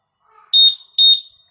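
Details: Honda PCX 160 keyless remote with answerback sound re-enabled: two sharp high chirps about half a second apart; normal answerback beep.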